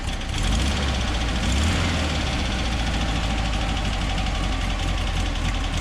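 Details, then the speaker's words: 1963 VW Bus with an 1835 air-cooled flat-four built by Jay Stewart and a Freeway Flyer transmission: even, steady low chuffing with no misses or knocks; idling better, normal idle. "Idling a little better."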